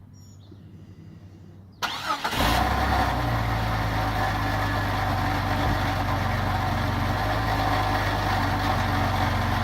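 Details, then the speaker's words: 2000 Jeep Cherokee XJ 4.0L straight-six with original exhaust, before MBRP install: cranks, catches, rough idle with loose buzzy exhaust rattle; worn factory exhaust suspected, unconfirmed. "I'll start it up and let it idle. You can tell it's super rattly."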